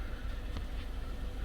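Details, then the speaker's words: 2013–2020 Ford Fusion 2.0L EcoBoost idling after spark plug replacement: low, steady hum with an even beat, no stumble or shake, no faults or check engine light. Normal idle. "Alright, we've let it run for a while. Runs okay, no faults came up."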